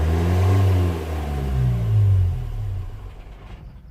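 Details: 2015 Vauxhall Vivaro 1.6 CDTi diesel revs up, holds briefly, then cuts out sharply at a fixed speed (about 2500 rpm cold, 3000 rpm hot), stationary or driving, even with airflow meter disconnected; engine cuts out at fixed rpm, cause still being traced.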